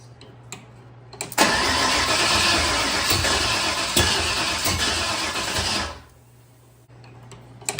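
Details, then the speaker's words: Budget Fox-body, first start attempts after installing a new intake while playing with timing: the starter catches, the engine runs ragged about four seconds, then dies. Won't idle; owner thinks it's fuel-starved from a fuel leak dripping down the bell housing, not timing. "I think we're not getting just enough fuel because of how much is leaking on this side. I mean, I can hear it dripping and everything. So I think our issue right now is it's not so much the timing, but you can hear it."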